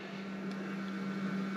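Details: FlashForge Adventurer 3 Pro after extruder gear replacement: steady low motor hum with soft hiss, printing normally with no clicking or skipping.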